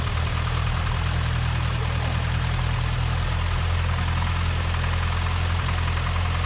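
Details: Rover P6 2000 with its SU carburettor refitted after a service, fuel pump manually primed, first start before the air filter and heat shield go back on. It catches and settles into a steady low idle with an even beat and no misses; normal idle.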